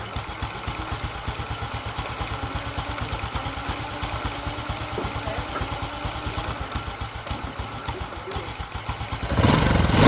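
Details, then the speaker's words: Scooter described as weak when ridden, engine otherwise quiet; at idle a regular dull clunking about four times a second comes from the clutch housing (nồi), so the clutch is to be opened up: clutch housing knock. "nó dọng nó giặt kì Nó kêu cụp cụp trong cái nồi kêu trỏng để mở coi cái máy này của anh"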